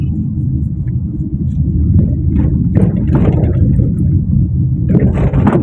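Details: Perodua Myvi driven over rough, uneven road: heavy road rumble with sharp knocks from the front lower suspension, also squeaking over bumps; two kinds of knocking noted, one fine, front suspension knock over bumps.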